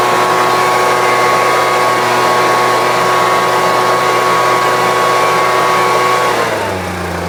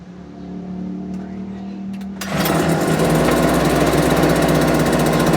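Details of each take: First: Homelite UT08572 string trimmer, tested outside after repairs: steady, even buzz at constant pitch without surging, then easing down smoothly. Owner will check whether an earlier "tink" noise is gone. Normal running. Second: Homelite UT08572 small two-stroke after getting it running, not yet warmed up: putters slow and uneven at idle before being blipped to a fast buzz; idle speed set too low, owner might adjust it.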